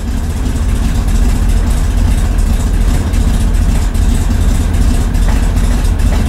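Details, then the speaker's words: 1965 Chevy Corvair at first start after electric fuel pump install, after sitting a while: low, uneven idle that won't hold, faint light ticking the owner calls valve noise; cause unconfirmed. "don't like that sound though what is that sound that's valve noise"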